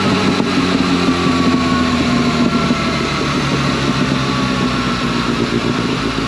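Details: 2011 Yamaha FZ8 on the dyno with a Yoshimura exhaust, after stator and flywheel magnet repair, a sprint filter and small fuel tweaks to an earlier tune: smooth, quiet, even exhaust note with a steady firing rhythm under load, no knocks or rattles; healthy.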